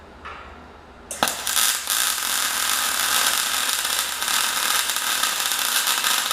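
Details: MyMag Mate 150 inverter MIG welder at under half current on a Dyna tow truck project: even steady sizzle after arc strike, few pops or breaks; smooth, consistent, stable arc.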